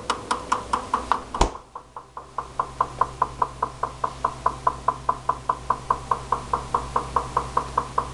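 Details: Recently purchased GE refrigerator: sharp, fairly even knocks about two or three a second over a quiet hum from the upper-back left side of the freezer, up to 2 minutes 2-4 times daily; technician says normal, owner doubts it.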